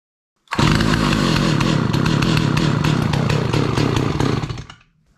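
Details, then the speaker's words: 43-year-old Stihl 028 Wood Boss chainsaw, new NGK plug fitted: screams at high revs but stumbles with uneven gaps, an intermittent miss; intermittent spark was suspected, but a test light showed the spark is good, so the cause remains unknown. "so listening to this thing run I have a feeling it has intermittent spark"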